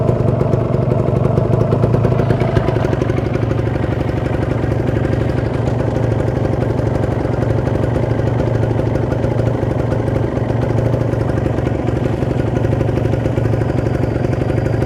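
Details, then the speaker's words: Warmed-up Kawasaki Ninja 150 RR two-stroke idling stable above 1000 rpm with temperature risen: steady fast buzzing beat, even speed, no misses or hunting; healthy and ready to ride. "kawan-kawan ini RPM sudah cukup naik diatas 1000 ya dan sudah stabil temperatur juga sudah mulai naik Nah berarti ini sudah hangat sudah siap digunakan"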